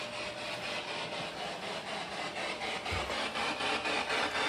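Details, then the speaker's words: Even rasping grind pulsing about four times a second from an internal apartment electronics fan, traced to the other fan after one was switched off; cause not confirmed. "That's what's causing that noise, okay? Something's grinding, something's working on it, okay?"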